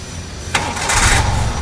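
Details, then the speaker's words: Daihatsu Charade Turbo, carbureted, old car under restoration, started without throttle: brief crank, then catches cleanly within a second and settles straight into a steady idle. "Oke. Nyidupin ya. Coba tidak usah digas. Oke. Tanpa digas."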